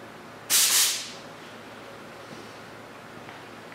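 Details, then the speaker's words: Lister air compressor: a sharp half-second rush of escaping air as compressed air vents from the pressure regulator, whose automatic drain plug had come out of the bottom; air leak from regulator drain. "right so what that was my pressure regulator the automatic drain in the bottom had come out"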